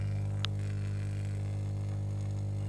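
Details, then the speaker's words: Old Jet Power active speaker with a slightly dented cone: when powered, with no signal playing, it gives a steady low mains-pitch hum drone and one brief click. Cause suspected, not confirmed. "Hai segenap kondisi speakernya ya agak penyok di membran ya biases asalnya saat hai hai hai hidup yo yo memang ada suara berdengung"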